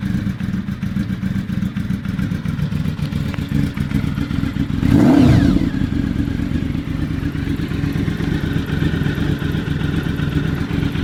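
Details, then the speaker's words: Honda V4 motorcycle just started on choke, warming up on a mild day: even, steady low putter at idle with one brief blip; expected to idle just above 1000 rpm when warm; healthy, runs perfect. "And once it's warmed up a little more, it'll idle just above 1000. As you can hear, the exhaust is pretty heated."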